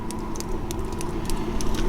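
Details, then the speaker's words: Happybuy 5 kW diesel heater heard from outside in cold weather, near the air intakes: a quiet, steady low hum with a soft airy intake rush, unchanging throughout. It shows slight exhaust vapour from the cold and is running normally. "outside now and check out that diesel that's how quiet it is"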